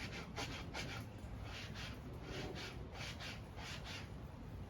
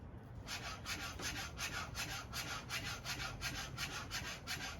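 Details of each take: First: 2021 Yamaha YZ250 front fork with Race Tech springs, spring just polished, hand-stroked: soft even swish, no scraping or grating; much nicer sound and feel than the unpolished spring. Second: 2021 Yamaha YZ250 fork with Race Tech springs, before polishing the spring: rhythmic raspy scraping about three strokes a second as the fork cycles, unpolished spring rubbing inside the tube; polishing gave a much quieter sound; fork spring rubbing.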